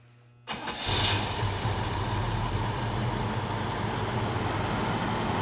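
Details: 1979 Pontiac Trans Am, total cold start with radiator about 60°F: brief crank, fires instantly, settles into steady even idle with deep exhaust note; healthy cold start.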